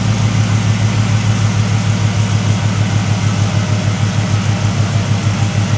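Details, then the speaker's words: 1973 Chevrolet C10 with an LS V8 swap, long-tube headers and no cats, after a new exhaust install: even, steady burble at idle, about three low pulses a second, no miss, tick or knock; quieter than expected, normal idle. "Exhaust is pretty quiet, a lot quieter than I thought it would have been."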